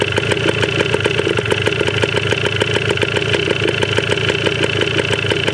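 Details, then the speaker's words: 1980 Yamaha DT/GT 125 Enduro two-stroke on its first start, with old fuel and seemingly low compression. A crisp, even ring-a-ding popping holds a steady idle with no misses or knocks. It runs cleanly, though the carb likely needs cleaning. "But wow. She runs. Didn't sound too bad either."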